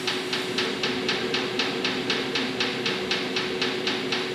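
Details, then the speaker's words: Webasto 90ST preheater on a Ponsse Buffalo, before cleaning, in a 65-degree shop, start cycle: crisp regular fuel dosing pump ticks about four per second over steady fan hum as the pump kicks in; normal. "FYI, it is about a 2-minute start cycle on these things, on most all of them. With exception, there's the fuel pump kicking"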